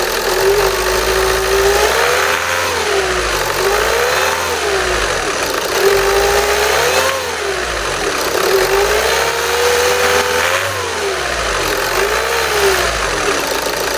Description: Listen Carefully for the Whine/grinding sound over the clickety clack of the TDI engine. It sounds like a whirring/whining grinding sound.